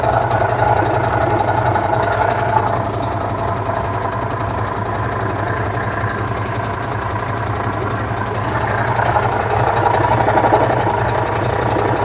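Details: 1966 VW Type 3 Fastback air-cooled flat-four just fitted with new dual single-port 34 carbs replacing factory carbs: steady, even idle with soft regular pulse and no clatter; normal idle.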